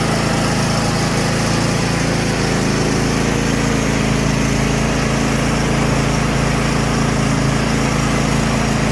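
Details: Craftsman T8200 Pro riding mower (2016, 46 hours), 24 hp Kohler Elite KT735-3068, test run after carburetor repair and flushed fuel lines: steady, even engine drone at constant speed, no surging or stumbling; running smoothly.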